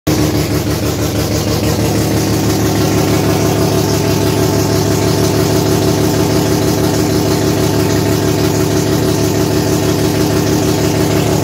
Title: Sirota shed tr8ta rx3 has a exhaust leak